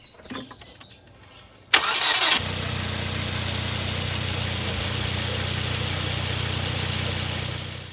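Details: Hyundai Genesis Coupe 2.0T after replacing the drive belt and tensioner (old belt squeaked and jumped grooves): sharp start flare settling into a steady, even idle with no squeak or chirp; healthy.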